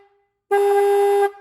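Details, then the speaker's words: Restored rusty 1950s–60s Ford horn, cleaned and adjusted: a short tap gives a clean, crisp note, but held on the tone turns buzzy and rough; scratchy horn, possibly from a part bent during adjustment. "how it's scratchy? I don't know how this is going to translate that sound, but it's real scratchy when I hold it on. But if I just tap it, it's really nice and crisp."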